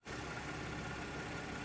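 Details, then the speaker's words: 2012 Audi Q7 that wouldn't start after flooding and fouled plugs, started by cranking with gas pedal floored after new spark plugs: steady smooth idle with no misses or stumbles; running nicely. "i did that and as you can see the car has started it's running nicely so i'm very happy to be able to drive this thing again"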